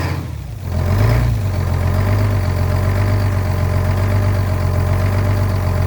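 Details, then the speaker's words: Old diesel truck, cold weather, fitted with muffler: brief crank, catches quickly into steady low rumbling idle; starts right up after new batteries replaced weak ones. "Oh yeah, Dougie. Basically started right up. I did end up putting a muffler on this truck because when you're going down the highway, you can hear it from like 10 kilometers away."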